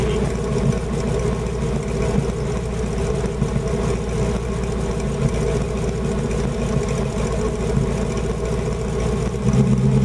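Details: Old Holden Kingswood V8 (351 or 253 per description) running on LPG on a freezing night, warmed up after a stone-cold start; deep, even burble at steady idle, no misses, sounding much better than the almost 6 L V8; normal idle.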